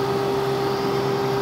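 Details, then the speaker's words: 2003 Honda Foreman 450, sensor heated further: fan comes on with overheat light off, constant even mid-pitched whir with no rubbing or wobble; normal cooling fan operation. "if I continue to heat this up the fan is gonna come on kind of hard to do by yourself there's the fan Pena's on and the overheat light is off"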